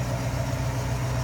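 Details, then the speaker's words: 1964 Mercury Comet Caliente convertible with Ford V8: low, even burble at idle with a steady lope and no misses or ticking, a nice little rumble that sounds good; smooth, healthy idle. "Nice little rumble coming out of that. Sounding good."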